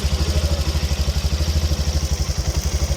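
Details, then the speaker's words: Italika 200 cc motorcycle (Zongshen RX1) on stand after chain and worn, loose sprocket replaced: steady even single-cylinder thump at idle, no rattle or slap from the chain, strange noise gone; normal chain drive. "como les dije el problema en el piñón que tenía un jueguito por has escuchado ese ruido muerte ya no hace ningún ruido extraño carnal"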